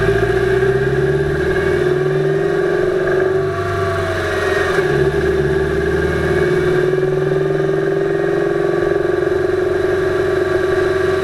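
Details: 2008 Subaru Impreza 2.5i driving, camera above driver-side timing belt cover: faint uneven knock under the drone, loudest around 2500rpm at light-moderate load in any gear, fades with more load, absent below 2000rpm or unloaded; cause not found.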